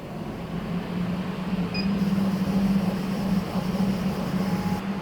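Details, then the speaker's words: HL 1060Z 100W CO2 laser cutter running a cutting job with the lid closed, lid switch active and the laser fired: an even low hum with steady fan rush, no knocks or squeals. A smooth, normal cutting run. "Okay, and make sure the switch was active, then fire the laser. Okay, everything is done. I press the start to start the job."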